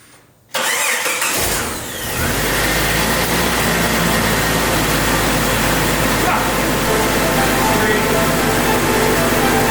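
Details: 1997 Jeep TJ rock-crawler go-kart, started after tightening the alternator belt and charging the battery about an hour: short crank, then it fires and settles into a steady, even idle with no knocks or misses; normal start and idle.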